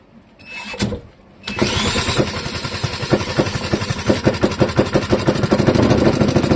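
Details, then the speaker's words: Clinton model 3100 small engine, choke being worked, sticky carburettor float suspected: coughs, catches after a second, then runs lumpy at about three pops a second and never settles. Hard starting and uneven running; carburettor suspected to need cleaning. "I suspect the carburetor probably needs cleaned. I kind of guessed that beforehand, but you never know."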